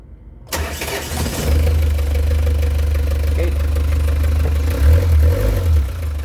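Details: Diesel with hard starting every morning, after three of four glow plugs tested bad and were replaced with new ones: a brief crank, then it catches at once and settles to a steady even low idle with no stumbling; starts cleanly.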